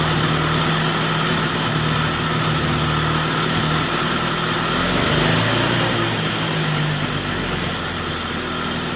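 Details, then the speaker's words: Vintage Jacobsen two-stroke greens reel mower, just revived with oil in cylinder and extra oil in fuel, old spark plug: steady unbroken buzz off choke, no misses or knocks; normal running, governor still unsorted. "Now we got to figure out the governor and the choke. Sounds pretty good. See, we got it off choke."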